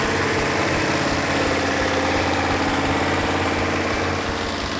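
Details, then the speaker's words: Rebuilt numbers-matching 426 Hemi V8 idling after timing and carburetor adjustment: smooth, steady lopey idle with no stumbles or pops, exhaust felt for misfire; all 8 cylinders firing equally, normal idle. "This case, I had a perfect running engine. All 8 cylinders were firing equally."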